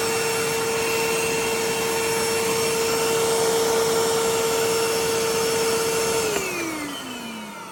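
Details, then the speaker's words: 1980s Hitachi 790 bagless cylinder vacuum after full strip, clean and motor bearing lubrication: steady fairly high motor whine with a coarse edge, then winds down smoothly; still somewhat rough though better than before. "no this isn't going to be the most amazing vacuum sound"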